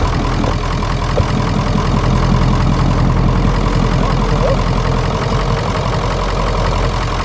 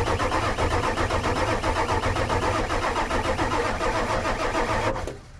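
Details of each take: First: 1996 Ford F250 7.3L Powerstroke diesel, first start after sitting, revived with starting fluid: deep, even diesel clatter at a steady idle with no misses or knocks. It runs properly, with the check engine light on and possibly not charging. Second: 1996 Ford F250 7.3L Powerstroke diesel revival on starting fluid; fast, uneven idle for about five seconds, then abruptly dies; RPM gauge stopped while cranking, cam or crank position sensor suspected, not confirmed; engine stalls after starting.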